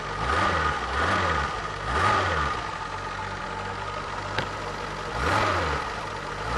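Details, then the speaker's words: Renault Alpine V6 Turbo (GTA) engine running after trouble with a suspected stuck injector and after injector work: smooth even engine note that swells with each throttle blip and settles back to a steady idle, with no miss or knock. "Auch wenn es so ist, ist der Motor erstaunlich."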